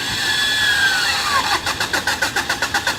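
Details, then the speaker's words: Driving-school car that overheated, bonnet up to cool, student repeatedly trying to start it: starter whirr into steady cranking, about four even pulses a second, engine never catches; crank, no start. "বারবার স্টার্ট করার ট্রাই করছে ইঞ্জিন ঠান্ডা করে, বাট হচ্ছে না।"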